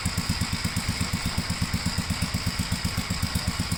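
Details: 1957 Gravely tractor mowing test: steady single-cylinder thump around 167 beats a minute, even and unbroken through mowing load; runs pretty good, normal running under load.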